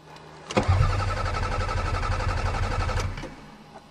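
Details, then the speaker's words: Toyota Camry started in snowy cold at a farm, battery just installed: starter turns the engine over about two and a half seconds with no firing, fuel pump not heard; fuel pump failure suspected, not confirmed. "uh-oh we have fuel pump failure oh my God I almost had a perfect record of Toyotas this sucks"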